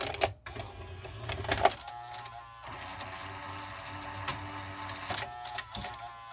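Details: 1984 Toshiba Beta VCR V-S443C whose tape loading had been stopping intermittently, with dirty switches suspected. Uneven, dry whirring and grinding with scattered clicks as the cassette loads; the loading mechanism sounds atrocious and is judged to need lubrication.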